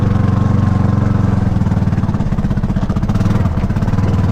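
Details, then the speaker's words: Kawasaki Mule on a chilly morning at idle: low, coarse, raspy exhaust putter about four beats a second, louder than a healthy muffler; exhaust suspected loose, muffler guts possibly blown out; not confirmed. "Yeah, listen to that exhaust. It sounds terrible."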